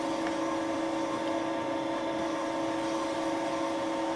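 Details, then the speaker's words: Wohlhaupter UPA5 head on a Thiel Duplex 158 mill boring a molten plastic lawn mower bearing seat, quill auto feed 0.12 mm/rev, very light cuts: steady even hum with a clean tone, no chatter or squeal; a normal boring cut. "I took very light cuts unfortunately the cutting action took place in the front section of the bore"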